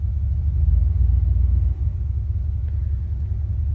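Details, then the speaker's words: 1975 Cadillac Fleetwood V8 started after installing a battery cut-off switch: deep, steady even rumble at idle with no knocks or misses; runs fine. "Should it work now? Oh yeah, that's what I'm talking about."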